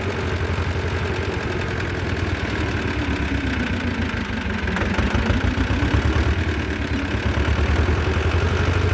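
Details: Belarus 250 tractor, two-cylinder air-cooled diesel that sat for years, at about 3/4 throttle: a lumpy rhythm that sags and picks back up instead of holding steady; fuel starvation.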